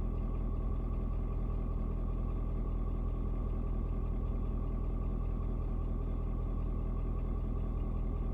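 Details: Ford Super Duty 6.7 diesel (Platinum), 56-degree cold start: steady low clatter a bit over two beats a second, no miss or knock, after a slight rpm drop (owner unsure if block heater); normal idle.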